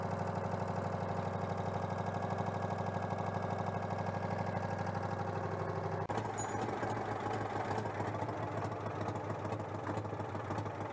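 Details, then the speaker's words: Citroën 2CV AZLP6 flat-twin with new centrifugal clutch: idle steady at first, then firing turns ragged and loses rhythm; owner suspects leftover cleaner fluid. "bon niveau fluide j'en sais rien parce qu'en fait il restait encore du nettoyant donc ça commence à couler ah bah c'est pour ça aussi que ça tourne pas rond"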